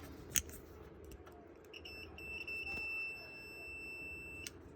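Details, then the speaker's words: Edge connector pin wire continuity test, meter on ohms with audible alarm: clear high steady beep about two and a half seconds, confirming the wire is seated and continuous. "set ohms to continuity test with the I put the audible alarm on and that's when you hear the the beeping"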